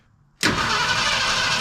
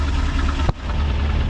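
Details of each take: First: 1972 Ford F100 FE 360 V8 first start attempt, carb pumped, spark unchecked; starter spins steadily about four seconds with no firing pulses — crank no start, later traced to wrong firing order. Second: 1972 Ford F100 FE 360 V8 after replacing clogged inline fuel filter and tapping carb to free sticking needle and seat; deep steady idle, even low beat, one brief bump, otherwise smooth — normal idle after fix.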